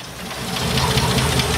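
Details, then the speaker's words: 1972 Ford F100, unrun over 10 years, just revived: ragged, uneven V8 idle with stumbling beats over a low rumble; runs rough as the carburetor spits fresh gas back out. "Or just keep going. Yeah, it's running pretty rough."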